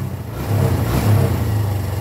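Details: Suzuki Thunder 125 that would not start, running after checks including a CDI change: a short throttle blip where the single-cylinder note rises and falls cleanly without stumbling or popping. The engine runs quiet and healthy.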